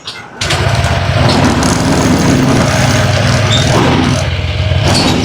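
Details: Honda ADV 160 scooter unused for two months, battery drained, started with jump starter: starter whirs briefly, engine catches and settles into a steady even putter at fast idle.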